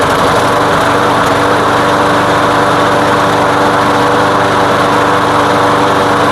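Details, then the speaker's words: Craftsman lawn mower running with gasoline-soaked air filter removed; steady even high-pitched drone, no stumbles or surging, running smoothly; the air filter was the problem, not the carb. "Really? The problem was the air filter. You know, um I guess that means I don't have to go through the carb."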